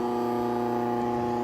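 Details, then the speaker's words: Cabela's Carnivore meat grinder that hummed but wouldn't turn, after replacing the motor capacitor: steady, even motor hum spinning up cleanly with no labouring or buzzing; normal running, repair fixed it. "Go ahead and turn it on. Yes, we fixed it."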